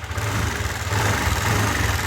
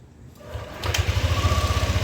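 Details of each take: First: Yamaha NMAX V2 scooter revved lightly: fast metallic rattle rising with engine speed, reportedly louder on cold start and slightly quieter once warm; crushed camshaft bearing. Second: Yamaha NMAX V2 scooter after replacing the crushed cam bearing, gaskets and O-rings at radiator hose, thermostat and water pump: fires and settles into a quick, even idle with no tapping or earlier chirping; now quiet and healthy.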